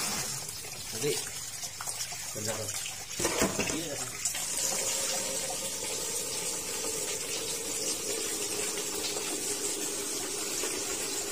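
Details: Sanyo washing machine after repair of a fault where it filled then leaked water out: even steady rush of water into the tub, no dripping, knocking or valve chatter; filling normally.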